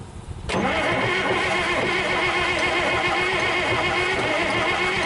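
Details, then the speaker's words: International DT466 diesel with 5-speed, first start in 8 years, rebuilt injector pump, new turbo, bled fuel, primary fuel line leak: cranks with rough uneven churn and sputter, never runs. "it was stuck and it wasn't off all the way and uh where it was off all the way and I couldn't get it to get on all the way so uh I guess I moved it enough to get it to spit and sputter"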